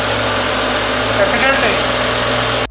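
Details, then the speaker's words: BMW M5 naturally aspirated 507 hp V10, neglected car with slipping clutch, oil change history unknown: steady even idle hum with no knocks, misses or hunting before it cuts off; engine sounds smooth and healthy. "she works sounds good it sounds smooth I don't hear anything really weird out of the ordinary"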